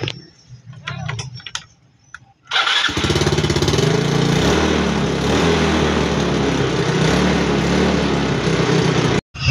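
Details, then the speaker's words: Yamaha Mio Sporty scooter that wouldn't start, after the dusty, clogged carburetor was cleaned and its sticking piston/diaphragm freed: after a pause it catches at once into an even, steady putter; problem solved. "mga padreng solve yung problema ni boss"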